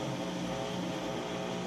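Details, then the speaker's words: Crosley washing machine on heavy, warm water, max full load filled to the top, entering final spin: steady, even whirring hum with low motor drone, no knocks, rattles or shaking; spinning up smoothly and healthy. "And now it's going into that final spin cycle, so you'll be able to hear that it sounds good."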